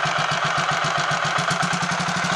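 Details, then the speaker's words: Royal Enfield 500 Machismo electric start single at idle after repair: reversed oiled starter spindle corrected, 20W-50 oil replacing ATF; steady even thump about eight beats a second, no knocks or rattles, much better. "I think I'll take that as a small win that sounds a lot better all for the sake of having one tiny spindle that has an oil hole in it not quite halfway Along being the wrong way around"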